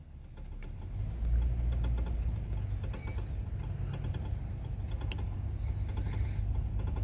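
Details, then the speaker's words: Four-wheel-drive Dodge Ram 1500, 90,000 miles, on test drive: light uneven clicking over engine and road rumble on hard left turn, also on hard right; front CV axle suspected, not confirmed. "yes it's bad on a hard left turn let me try let me go right okay you can hear it on a hard right turn but i only hear it on this side now"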